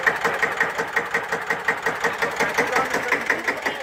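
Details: Deutz F1L612 tractor, 11 PS, 1954, air-cooled single-cylinder diesel, cold start after overhaul and repair for TÜV inspection: steady chuffing about 167 beats a minute, even with crisp exhaust; healthy idle.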